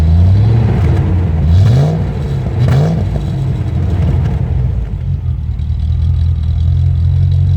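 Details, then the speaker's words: Land Rover Discovery 1 3.9 V8, first start after about 18 months, one lifter sometimes taps at start: deep loud burble with throttle blips and clatter; loud because the centre silencer is replaced by a delete pipe; loud exhaust. "oh well just so you know as well the reason it sounds like it does is because I've got the delete p"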